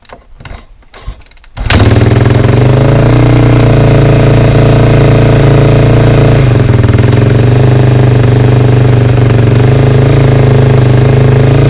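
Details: 2003 KTM 450 SXF dirt bike's first start after sitting 6 months, with carb drained and fresh gas: brief cranking, then a steady, even single-cylinder idle thump; runs clean, normal idle.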